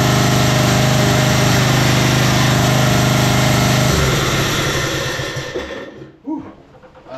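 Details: 1991 Craftsman LT4000 barn-find lawn tractor, first start-and-drive test after getting it running: small engine drone rising and falling without settling, then bogs and dies; engine surging, cause not found; drive belt later popped off engine pulley.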